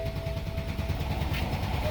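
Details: 2007 BMW X5 4.8 with fault code 2F44 EWS preventing manipulation, after failed start value alignment: starter churns with a steady low chug about eight pulses a second, engine never catches; immobilizer blocking start.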